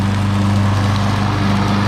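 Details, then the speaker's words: Craftsman Platinum 190cc self-propelled mower right after engine swap, cutting: steady, even drone with no misses or knocks; motor works well, smoking only because oil got into the exhaust and carburetor while the engine was upside down. "So, the motor works good. Um, it's smoking because the motor was upside down."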